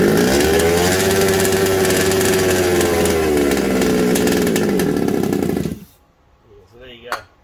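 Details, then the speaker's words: Secondhand 1/5-scale RC Baja with a replaced isolator block. It holds a steady high buzz, then cuts out abruptly as spray hits between the block and engine, confirming an intake air leak. The source, isolator block or head gasket, is still uncertain. "I'll spray this up and it stops straight away so there's still a leak so I don't know if it's the head gasket or foreign"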